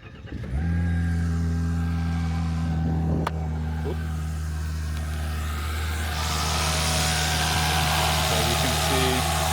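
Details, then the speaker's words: Volvo S60 turbo with the engine cover off, after a new PCV and a Snabb turbo inlet pipe were fitted: the engine catches and settles to a steady idle with quick, light ticking on top; normal loud injector noise. "But, as you can hear injectors are pretty loud."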